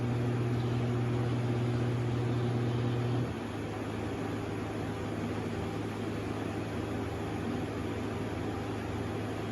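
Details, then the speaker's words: Air conditioner unit just kicking on: steady low hum with a higher tone that drops away after about three seconds as it settles; cause of the odd noise unclear. "do not even know what that noise is. I hope there's nothing wrong with this air conditioner unit."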